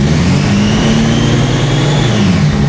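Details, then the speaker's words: Cheap secondhand Toyota LandCruiser six-cylinder petrol engine revs with an uneven, stumbling misfire after just dying and restarting; owner suspects a faulty secondhand injector. "Oh, but it's still got a misfire. Ah, god damn, man. So, the misfire could still be caused with a faulty injector."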